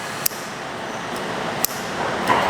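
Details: Two sharp, isolated clicks about 1.4 seconds apart over quiet room hiss: both solenoid valves of a custom machine-shop coolant system (Grundfos pump, RO filter, 275-gallon tote, float switches) snapping open and shut during a full system test; normal operation.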